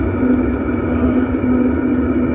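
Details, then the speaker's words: Chinese diesel heater on test run, installed in a bus with exhaust muffler bolted to frame, heard outside at the exhaust: steady even low drone, faint light ticking, no surging or popping; loud outside, inaudible inside; running normally. "Well, it works. Alright, we're continuing to let this thing run. It's a little bit loud out here, but on the inside you can't hear the exhaust at all."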